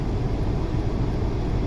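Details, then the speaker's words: 2003 Honda Civic 1.7 L checked for a restricted exhaust, oxygen sensor removed, on a test drive: steady, even engine drone under road rumble, no misses, knocks or rattles; pulls cleanly, running normally. "Seems to be running great. There's no issues."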